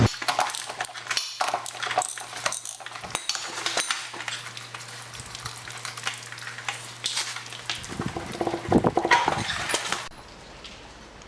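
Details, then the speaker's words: Honda Fourtrax TRX300 jacked up, in neutral, rear axle turned by hand: loose metallic clinking and rattling inside the rear end; pinion gear bearings failed and need replacing. "backwards you can hear a little bit of stuff rattling around inside there though"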